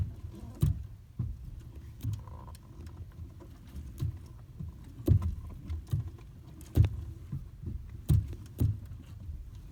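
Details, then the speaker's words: Toyota Corolla, steering wheel being turned: irregular dull knocks and clunks over a low rumble from a worn steering intermediate shaft yoke (u-joint); fixed by replacing the yoke sub-assembly. "Do you hear knocking sound when you turn your steering wheel? Well, today I'm going to show you how to fix that problem."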